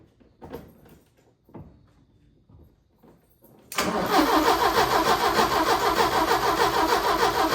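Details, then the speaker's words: 1980 Porsche 924 Turbo, new fuel filter fitted: starter spins engine evenly at about three beats a second but it never fires; crank no start, old fuel suspected, plan to drain fuel. "All right, so my plan is to drain the fuel because it wasn't catching on the normal fuel."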